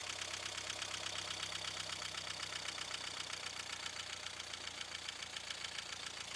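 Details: 1.5 dCi diesel with an unstable idle: clatter at about four beats a second with a slightly uneven pulse, attributed to a faulty fuel pressure regulator.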